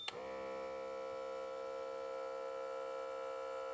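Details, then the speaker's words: Repaired Microlife BP3AQ1 blood pressure monitor, cuff on arm, powered via plug: click then steady, even compressor whirr at constant pitch, pumping normally after circuit board transistor repair. "Все в нас відпрацьовує. Ох, він не передавлює. Ну, короше, все працює."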